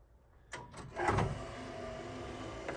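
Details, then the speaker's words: 1975 Jeep Wagoneer unused for about a decade, power window; motor whirrs with labouring groan and scraping as glass creeps slowly and won't go fully up; owner suspects tight channels or tired motor after regulator arm was out of channel: groaning, slow window. "I think the third issue is the fact that this thing just hasn't been used in Forever you can hear everything kind of freaking and groaning"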